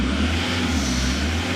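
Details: 2008 Jaguar X-Type 2.0 diesel after replacing the corroded fuse box feeding the fuel pressure regulator; revs cleanly with steady even drone, no knocks or misses, rail pressure normal about 260 bar; normal revving.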